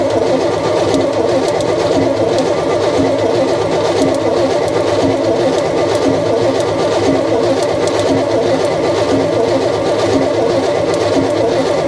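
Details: Unfinished V8 truck cranked on starter with intake plugged off: slow, uneven beat about one lurch a second, some strokes dragging harder; inconsistent compression, unconfirmed.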